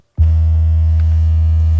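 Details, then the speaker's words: 2021 Toyota Avalon with upgraded JBL system, after sound-deadening treatment: a low bass test tone in the 80s range plays cleanly, with the panel buzzing previously heard front and rear now gone. "and I don't know if you can hear that but and now you can't right and then you could also hear it really prominent in the back and now you can't"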